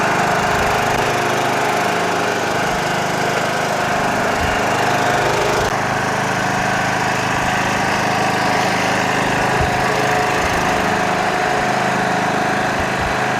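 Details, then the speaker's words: Toro Wheel Horse 1638HXL hydrostatic lawn tractor, repair finished, driving off: engine and hydrostatic drive hum steadily with no clunks, grinding or surging; transmission runs great, normal healthy running. "great tractor runs real nice transmission on this thing runs great really cleaned up nice huh"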